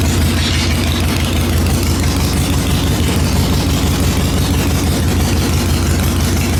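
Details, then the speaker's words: 2003 Harley-Davidson Sportster XL883 Hugger, first start after 10+ years sitting, fuel drained, carburetor pulled: deep steady loping V-twin idle, even beat, no knocks or misses; healthy. "This 883 sounds good. Holy crap. Man, this thing sounds good."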